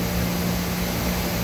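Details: 2013 Doosan Puma MX1600ST CNC mill-turn lathe (Fanuc 31i-B5, 6,000 rpm max) sub-spindle running: steady low hum with constant tone, no knocks, grinding or wobble; smooth and healthy.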